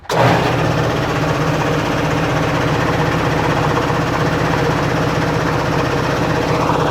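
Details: Snap-on air compressor started for a test of a new duct directing air over the hot cylinder head: it starts abruptly, then settles into a steady, even pumping thump with no knocks or rattles; normal running.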